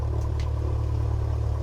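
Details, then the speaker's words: Light airplane bought in pieces, first ground run at about 1,000 rpm during break-in before warm-up, fuel pressure reading near zero: low, even throbbing drone with steady propeller beat, no roughness; healthy idle. "Now we got to run it at 1,000 RPM for about 15 minutes. And then once it warms all the way up, then we crank it up to 1,500 RPM for another 15 minutes."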